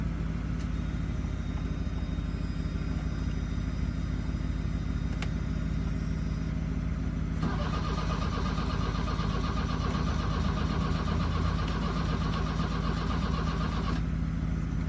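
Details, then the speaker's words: 1982 VW Vanagon Westfalia on a chilly day, after new battery, glow plugs and starter; starter churns evenly for over ten seconds but the engine never catches: cranks, no start. Glow plug fuse tested with power at the plugs; owner suspects fuel delivery. "oh back to the drawing board we go hey everybody so here we are again uh we've been tackling this uh engine starting um so we replaced the gold plugs like i was saying i tested the glow plug fuse i'm getting power to the globe bugs i think it's a fuel delivery issue"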